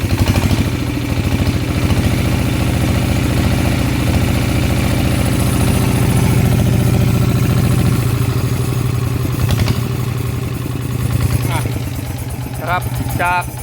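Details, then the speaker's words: Kubota small diesel (owner's complaint: engine shaking) after valve clearance adjustment and reassembly, revved: thumps evenly and rises cleanly, vibrating noticeably less than before; mechanic thinks the shaking may be fixed, pending real work test. "ตอนที่เร่งทีแรกนะครับกับตอนนี้นะครับมันมันจะสั่นน้อยกว่าแบบเห็นได้ชัดเลยนะครับ"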